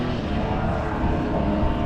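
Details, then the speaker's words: Rebuilt 1976 Mercury 650XS race outboard, back after sitting 20 years, on its first test run on a 13ft Delta T850 race boat in rough water. It is wound out right away to a dense, steady, smooth high-revving drone with no misfires: normal running at speed. "I like that sound. That sounds good."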